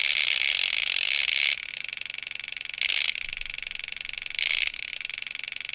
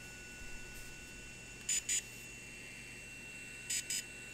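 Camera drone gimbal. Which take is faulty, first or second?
first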